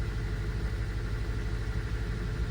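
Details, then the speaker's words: 2005 Honda Element EX after repairs set to spec, rough lumpy idle with occasional stumble, no longer thumping but still misfiring; code P0301, cylinder 1 misfire, owner suspects a burnt valve. "Now, it feels a bit better. That's actually shocking. It's not thumping, but it's still misfiring."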